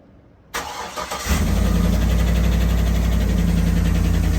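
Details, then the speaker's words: 2011 Cadillac Escalade 6.2L V8 with AFM, 178k miles, day-two cold start after Marvel Mystery Oil in crankcase: steady fast idle with light rapid ticking; lifters still loud, AFM lifter tick. "lifters are still loud"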